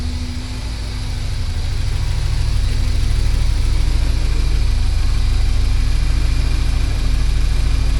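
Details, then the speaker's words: 1979 Porsche 924 restart during meltdown test, past 10 minutes: idle starts slightly rough, firms up and smooths within seconds; healthy idle. "Yeah, but it moves out now. Like it takes a while for it to, oh yeah, there it's just starting to smooth out right"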